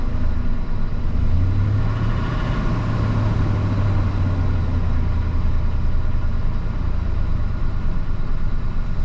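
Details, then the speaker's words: 2002 Ford F150 SuperCrew pickup, 298,000 miles, rear-ended, first start at home on a newly fitted battery in snowy December: smooth steady low hum at idle with no ticking, knocking or stumbling; oil pressure and charging fine; idling normally. "Okay, it idles. It's good. That's a lot of miles."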